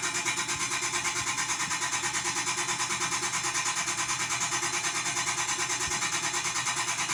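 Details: Chefman appliance; steady, high rasping whir pulsing evenly about three times a second, grinding inside, cause not yet clear: grinding noise.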